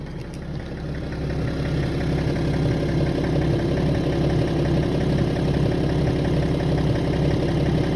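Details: Warm idle on a BMW E90 330d (231 hp) diesel: regular light knock about three per second over the rumble, gone above 1000 rpm, returning 5-6 seconds after dropping back to idle, only when warm; cause unknown.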